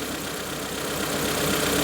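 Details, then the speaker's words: Proton Wira petrol engine idling after a new spark plug was fitted, with compression, valve clearances and plug leads already checked: uneven stumbling beat with missed pulses, misfiring on number 1 cylinder; the plug fouls, and an injector problem is suspected. "Misfiring. Plug up. We need to swap the injector, dude."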